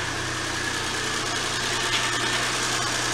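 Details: Datsun Go+ after a battery replacement, started on the new battery: even, steady idle with a smooth low drone and no knocks, misses or rattles; the engine is running healthy.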